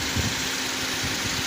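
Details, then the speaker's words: Engine idling after belt auto-tensioner pulley replacement to cure a rattle that occurred with AC on, tested with AC off and then on: even, steady idle with no rattle or chatter; normal. "okay now the engine is up and running and the sound is okay if the sound is normal right now the AC is not on yet"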